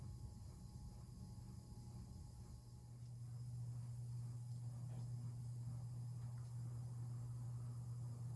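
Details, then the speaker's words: Hampton Bay Carriage House 1 hugger ceiling fan, about 1999–2000, switched from low to medium: quiet hum swells to firmer buzz after a few seconds; motor buzzing worse on medium. "Now here's medium. As you can hear, the buzzing got a lot worse, somewhat."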